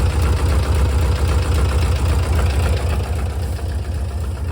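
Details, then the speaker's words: 1968 VW double cab transporter engine, running from a jerry can after five years in storage, at idle: steady low idle with a regular knock near four per second, intermittent; cause unknown. "That noise seems kind of intermittent. So, I'm really not sure what the problem is here."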